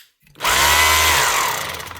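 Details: Makita HR2450 SDS drill after repairing a burnt-out motor with a new armature (517375-5), run forward at full power: clean high whine spins up fast, holds steady pitch, winds down without grinding or rattle; motor healthy.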